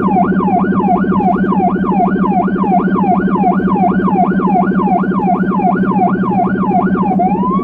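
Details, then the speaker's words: Federal Signal Rumbler switched on in an emergency car on cobbled Budapest road, spare-tyre tools clanking: high wail sweeping about 80 times a minute over a steady pulsing 180–360 Hz drone; siren and Rumbler working normally. "The Rumbler Siren has a pulsating, low frequency sound between 180Hz-360Hz. It's often used with the typical high pitch siren."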